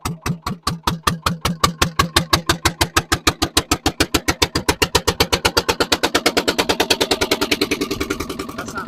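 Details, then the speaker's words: Barn-find dumper's single-cylinder diesel at its first start after long cranking: rough, uneven thumping about four beats a second, speeding toward eight and settling somewhat; it ran very smoky. "so we're gonna have a go with this it's running that does not sound good better"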